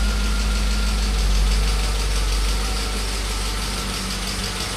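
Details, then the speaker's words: Freshly rebuilt BMW S62 V8 on its first run, after a fuel line leak: steady idle with a light quick tick about four per second over the low rumble; some lifter noise. "Sounds like an S62 with some lifter tank, huh?"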